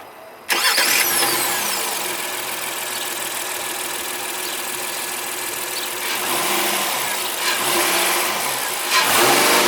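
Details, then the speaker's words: 2017 Honda Pilot Elite AWD on regular unleaded, about 80°F outside, after the cooling fan shut off: the engine catches cleanly, idles smoothly, and rises and falls through two crisp revs with no knock or rattle. Normal. "So let's hear how the Pilot sounds. Pretty nice."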